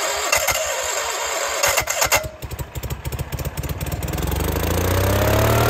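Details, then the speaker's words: Case 1816C skid steer that sat 10+ years in a barn, battery charger on while cranking after earlier partial fires: cranks in bursts, catches on a bang, then settles into a steady rising run with no misfire. Ran better than expected. "Bang ran better than I expected now that this whole thing runs it's kind of exciting"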